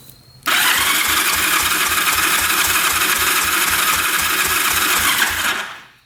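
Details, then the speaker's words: 1974 Yamaha TX500 after 27 years in a barn, compression test on the left cylinder with the throttle open: the starter spins quickly and evenly with little drag, reading 70–75 PSI and getting worse; low compression. "75 PSI. Yeah, not good. Compression almost seems like it's getting worse. It's definitely not improving."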